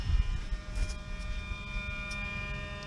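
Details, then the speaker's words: Repaired Mercedes V12 throttle body installed on the vehicle, with ignition switched on during the learning cycle. A steady, even electric hum with a faint motor buzz and no chatter or grinding. Normal throttle body hum. "same here as you can see nice and healthy hum"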